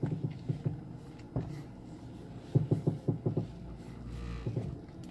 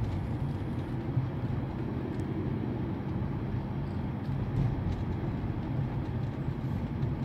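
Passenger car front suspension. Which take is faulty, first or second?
first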